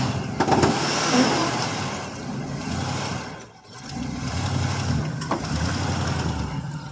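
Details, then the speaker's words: 1979 Oldsmobile Ninety-Eight Regency 403 V8, cold start after about three months sitting, running on 20-plus-year-old gas: slow, uneven cranking drags on before the engine catches, dips, then settles into a rough cold idle. "there we go still running on kind of running on 20 something year old gas"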